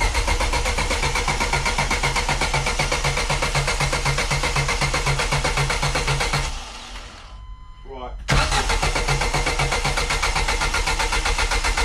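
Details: Turbo Zetec with flex fuel, new 1000cc Bosch injectors and new AN fuel lines, first start attempt. Steady starter churn at about four pulses a second, no firing, brief pause; cranking without ignition to build oil pressure, reaching 50 psi.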